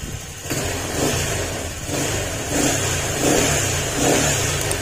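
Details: Honda Click 150 after replacing the piston pin and gasket: the engine revs up and back in even surges, clean with no knocking or ticking.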